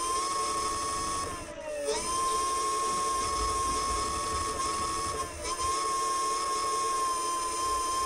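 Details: Front 350 W hub motor of a DIY dual-motor electric scooter, 35.9 V, gear three: clean, steady high whine dipping briefly twice, no grinding or clicking; rear motor believed faster. Normal hub motor running.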